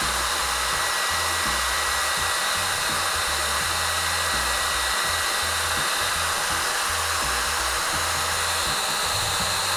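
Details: Yihua 878D soldering/hot air station, handpiece blower fan running after repairing a connector fault: steady high airy rush with even fan whir, no rattle or speed hunting; normal running.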